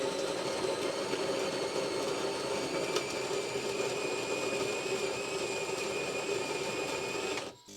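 Steady even whir and hum with a high pump whine, running smoothly to a clean stop; machine working normally.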